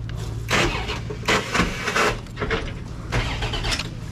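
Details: 1967 Cadillac DeVille convertible, long-rotting, fresh battery, swapped modern Chrysler engine: strong, even cranking in uneven bursts with a lively starter spin, no grinding; starter turning the engine over healthily.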